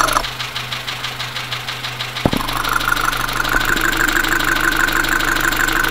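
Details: Dacia Sandero, Renault D4F 1.2 petrol engine (as in Clio), at a rough idle, recorded through a recorder and headphones: a sharp, even knock about three per second, likely bottom end. Low oil and a possible spun bearing are suspected.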